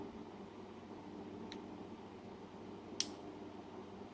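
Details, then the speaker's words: Commercial-equipment relay harness on the bench, voltage applied to the gray-red wire: one sharp, loud click over quiet room hiss as the relay pulls in cleanly; normal relay actuation. "It's a pretty loud click. Now everything should be J1, J2, J4, J3, which we can test again."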